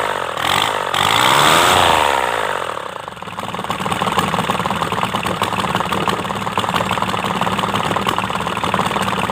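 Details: Kubota D905 three-cylinder diesel after valve clearance re-tune, run with rocker cover open; rough start then steady even idle with light regular valve ticking from the open rockers; sounds healthy; normal idle.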